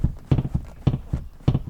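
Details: 11-year-old Volkswagen Touareg: dull, hollow knocks about twice a second as the empty rear seat cushion is rocked, a common Touareg cabin creak.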